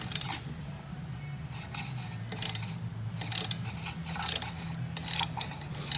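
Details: Hypergear TD06SL 20G turbo for an R33 RB25DET, wheel flicked by hand after porting to suit the manifold: irregular light whirring and ticking, no longer hitting the housing; spins freely.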